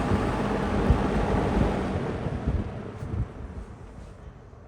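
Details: Lakewood P25 metal-blade fan, bought new around 2009-2010, barely used and never oiled, in a window, switched off from high. The rush of air fades evenly over about five seconds with no rattle, scrape or wobble; normal spin-down.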